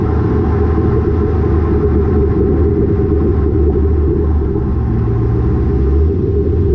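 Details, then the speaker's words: Lowered car (rear coilovers) with Borla catback, after a header-wrap fix on the over-axle pipe: smooth road and engine rumble from under the car, with no thumps or knocks; the exhaust no longer hits suspension components. "I don't hear my exhaust hitting any suspension components anymore, and I don't even hear any like thuds or like knocking. It's literally silent."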